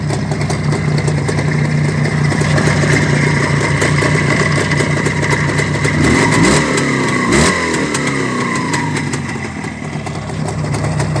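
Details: Black ČZ two-stroke motorcycle after engine repair: steady idle with a couple of clean blips and quick return to idle, no knocks or rattles; engine runs healthy.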